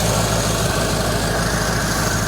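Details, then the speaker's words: 1953 Ford Customline flathead V8 after first restart, fuel pump working, fuel leaks still to fix: low, smooth, even rumble with no misses, knocks or ticks, steady idle; normal idle. "That is awesome. All right, success. I'm going to kind of button some things up here and yeah, get those leaks taken care of. Listen to that thing run."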